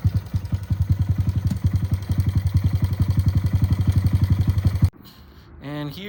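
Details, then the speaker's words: 2025 Honda Grom after clutch rebuild, 13-tooth front sprocket, before break-in: even, steady thumping of the single at fast idle, about nine beats a second, no knocks or misses; runs well. "here the bike is finally put together here and running I actually took it around the block just a little mile did some wheelies already and she's feeling really good"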